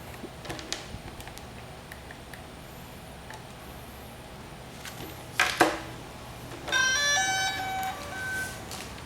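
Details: DJI Phantom 4 drone powering on after controller calibration: a few handling clicks, then a clean rising series of bright chirps with no warning beeps; normal startup tones.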